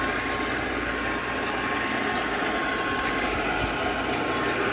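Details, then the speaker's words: Completely rebuilt ALMACO small bundle thresher just switched on: very quiet, smooth, steady hum with an even whoosh of air, no knocks or rubbing; normal running. "Just flip that switch, everything comes to life. Runs very quiet, very smooth, hums right along."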